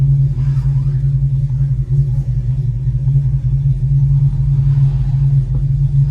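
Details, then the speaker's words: 2006 Dodge Charger Hemi V8 on a drive after engine wiring harness replacement fixed a cylinder 8 misfire, scanner still showing 0 misfires; deep steady rumble, no stumbles, normal. "Still 0 misfires on the board, baby. That's a beautiful feeling."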